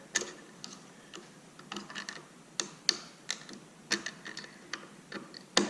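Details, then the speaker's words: Radio Flyer 4-in-1 tricycle after repair of skipping pedals, clutch reassembled in the hub: sharp loud crisp ratchet clicks as hub turns; pedal clutch now engaging firmly and tight. "It is, you can hear how loud it's clicking now. Now it is nice and tight here."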